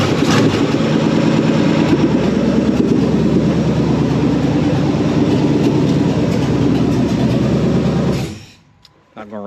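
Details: 360 small-block Chevy in a marketplace El Camino, freshly revived, catches on a shot of fuel and runs with a steady, even rumble for about eight seconds before shutdown; kept short because there is no coolant yet.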